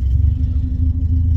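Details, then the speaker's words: 1986 Ford Cortina P100 that had no spark: after setting the points gap and swapping in a coil from a Dodge, it idles with a steady, low, even rumble and no misses or stumbles. Faulty coil fixed. "you may be able to tell from that sound that I got it started change the coil throwing Airline around and it's running"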